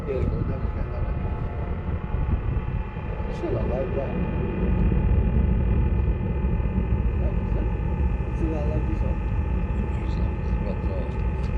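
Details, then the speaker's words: Chinese diesel heater in a Talbot Express motorhome after an attempt to quieten it: steady loud rushing roar with a faint whistle; the noise comes from the heater's exhaust, not the unit. "well the actual nose is coming from the exhaust not from heater"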